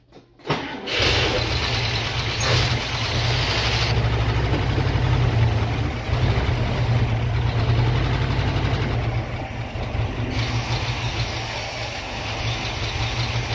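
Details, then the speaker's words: International Scout engine first start in about 13 years, new spark plug wires, started with gas-oil mix: catches within a second and settles into a steady, deep, even idle with no misfire or knocking. "Look at there, she's idling. Just like factory."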